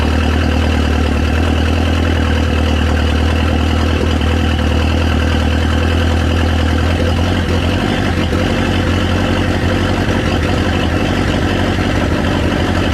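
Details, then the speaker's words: LeBaron with a big cam and no real exhaust, warm: loud, lumpy, deep idle with choppy pulses but an even, steady beat; alternator charging; normal idle. "it runs and it sounds nasty it's got that cam enter no real exhaust so it's actually really loud but i expect it to actually be louder"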